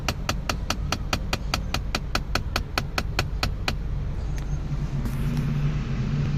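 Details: Mk7 VW GTI: quick run of sharp clicks, about five a second, over engine hum for a few seconds whenever the A/C is switched off.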